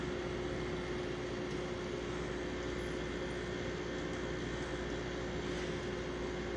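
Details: Circa-1970 Kelvinator Masterpiece 12,800 BTU air conditioner with GE fan motor, run after about fifteen years unused, needing cleaning. Steady even hum, constant mid tone, smooth airflow rush, no rattles or squeals. Normal running.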